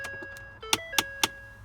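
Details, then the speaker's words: 2011 Ford F-150 at key-on, dash console pulled out: three to four sharp clicks from behind the console almost every start; owner suspects an HVAC air damper actuator motor. "so it's about three to four clicks like that typically um it happens almost every time I start my vehicle"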